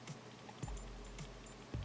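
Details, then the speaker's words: Gaming mouse held with its buttons pressed and shaken side to side: light plastic ticks with every shake, so something small inside is loose; owner assumes sensor rattle, unconfirmed. "even with the buttons held in it sounds like something down here is rattling so I'm going to assume it's a sensor as well"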